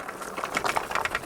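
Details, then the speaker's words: Drvetion BT20 electric fat bike climbing a steep hill start: light, irregular plastic clacks a few times per second over faint motor hum; loose reflectors slapping the handlebar and spokes, owner plans to remove them. "Le claquement, c'est les catadiopes. Ça fait 3 fois que j'ai le tour avec ce type de catadiope. C'est une véritable saloperie. Il claque sur les guidons, sur les rayons."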